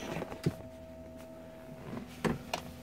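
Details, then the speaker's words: 1965 Ford Mustang fastback restomod, electronic fuel pump switchable on/off, key on: faint steady electric hum of the fuel pump under a few clicks and handling noises; normal fuel pump operation. "so gauges work you can hear the the fuel"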